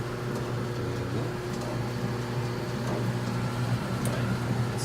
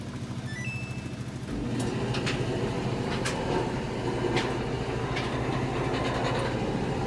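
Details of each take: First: Samsung dryer running after pulley replacement: even low hum and soft steady rumble from the drum with the belt and pulley turning quietly; the earlier metal grinding is gone, normal drum run. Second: Samsung dryer before repair: the drum turns with a constant low rumble and rough metallic grinding plus loose knocks; a bad idler pulley bearing is suspected, and after the pulley is replaced the dryer runs quietly.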